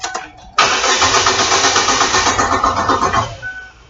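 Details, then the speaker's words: Chevrolet Aveo cranks but won't start; no fuel pump activation heard. The starter spins the engine at a steady four beats a second for about three seconds and it never fires; no fuel delivery. "the first one we could do is listen for the fuel pump I don't hear anything so let's go from there no no activation on the fuel"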